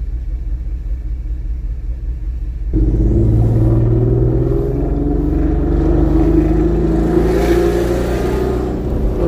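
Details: Bullet, running on five cylinders before repair, recorded under way: uneven, lumpy, rough, choppy exhaust beat at about four pulses a second. Brooklyn Motors diagnosed the misfire as an inoperative fuel injector on cylinder 1, a dead cylinder.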